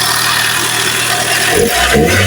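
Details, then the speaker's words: Toyota Soluna 1,500 cc sedan idling right after a new GS battery replaced a weak one that caused no-start; starts easily, even steady hum with no misses or knocks, normal idle. "เลยโอเคเครื่องิสตาร์ทติดง่ายนะครับเครื่องนี้อสุดยอดเลยนะ"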